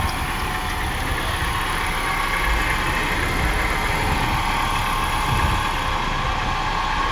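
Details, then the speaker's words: 2005 BMW X5 engine idling: steady rough whirring hum from worn A/C compressor clutch pulley bearings; A/C cools fine; bearings to be replaced. "so you can hear it hear the poor song coming from the AC compressor bearings"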